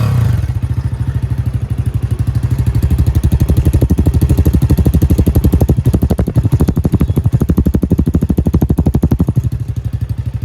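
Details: Jawa 42 motorcycle with two bend pipes running straight from the engine to the exhaust, low mileage: steady rapid thumping with a loose metallic clatter on every beat at constant speed, an internal engine rattle of unknown source; described as a major engine noise, not unique to this bike.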